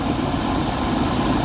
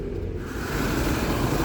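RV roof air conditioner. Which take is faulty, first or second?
first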